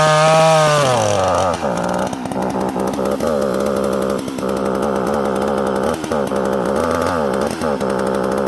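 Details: Sachs Dolmar 43cc chainsaw with timing issues; it fires up, revs cleanly and holds a crisp, steady buzz with quick throttle blips and no stumbling, running healthy.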